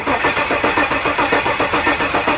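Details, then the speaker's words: 1974 Jaguar XJ12 drag car (Draguar) cranked without ignition to prime carburetors with fuel and build oil pressure: slow, steady starter churn at about five compression beats a second, no firing; fuel arrives, oil pressure comes later. "cranking slow all right we got fuel did you have oil pressure not yet"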